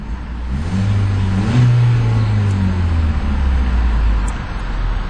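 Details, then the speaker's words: 2012 Ford Focus SE 5-door, 2.0 L direct-injection inline-4 gasoline engine, 160 hp, stationary in park or neutral. It revs smoothly from idle up to near the 3,500 rpm limiter and drops back cleanly with no knocks: normal revving. "And let's take a listen to that 4-cylinder engine, see what it sounds like. It's got a 3.5 RPM or 3,500 RPM rev limiter when in park or neutral when the vehicle is stationary."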